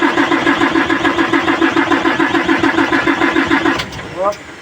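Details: Hino 700 truck diesel, before bleeding the feed pump: even starter churn at roughly three and a half beats a second for nearly four seconds, never fires; cranks but won't start.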